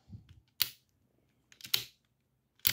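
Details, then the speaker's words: Passap knitting machine lock after deep cleaning and lubrication, second lever package moved: three crisp, clean clicks with silence between, no scraping or drag; levers move freely. Normal lock lever click. "and again both of these the second package of levers and the second lever moving towards us right and it's a little it's it requires some movement but you can see you can hear everybody's moving just fine"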